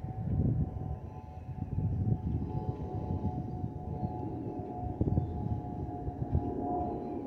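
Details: Delta Airbus A320-211 N325US in the cabin, LGA–DTW: a steady siren-like whistle near 700–800 Hz over a deep cabin rumble. This is the harmless FOPP airflow whistle of the underwing vents.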